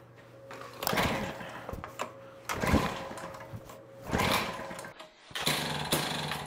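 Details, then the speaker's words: Jiffy Model 30 8-inch ice auger, two-stroke, unused for years after ethanol gas, on cheap premixed fuel, choked and primed: runs in uneven surges about every second, slight four-stroking breakup; running on the carburetor. "you can hear that kind of breaking up just a little bit that's four stroking"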